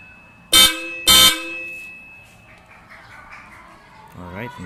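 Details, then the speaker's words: Aftermarket Hella Supertones horns with Hella relay, 14-gauge wiring and 15 A fuse, just installed on a 2012 Nissan Urvan: two short, loud, high-pitched honks, strong and clear; horn working normally. "ang lakas niya."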